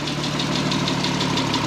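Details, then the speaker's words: VW R32 started after timing chain replacement and 10 years sitting: light sharp tick about six per second over smooth idle, started with almost no issues; owner suggests it may be an adjuster, later reports the tick went away. "but man a slight ticking sound kind of sounds like kind of adjust but man started with almost zero issues."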